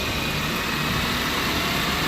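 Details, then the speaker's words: 2015 Chevy Malibu humming from the front end: steady rough hum with gritty roar; driver front wheel bearing noisy, felt through the control arm, passenger side not the same — worn wheel bearing. "2015 Chevy Malibu humming noise coming from the front end they said that's the problem right there the driver for wheel bearing is noisy"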